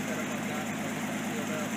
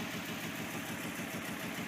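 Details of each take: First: Nissan 280ZX during repair of corroded, poorly sealed cylinder 1 fuel injector harness connector: quiet steady hum with even beat, no stumble; all cylinders firing, idling smoothly. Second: Datsun 280ZX with corroded, poorly sealed first-cylinder fuel injector harness connector, idling: lumpy, lopsided skipping pulse; cylinder one not firing at all, lead to be replaced.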